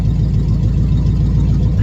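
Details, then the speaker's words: Small block Chevy after Holley carb swap, vacuum leaks fixed and timing corrected; idle possibly a little high, running extremely smooth; even steady low beat, no misses or stumbles, slightly fast; normal idle. "don't know. It sounds awful good right now. It's running extremely smooth."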